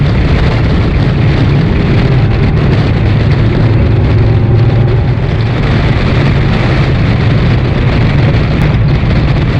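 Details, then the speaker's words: 1968 Chevy II Nova SS V8 with new Flowmonster exhaust and 4.56 rear gear, at 55 mph and 2900 rpm: deep, steady exhaust drone holding even, no misses or knocks; cruises normally. "definitely get to hear that uh 456 gear in the rear I'm doing 55 miles an hour right now at 2900 RPM"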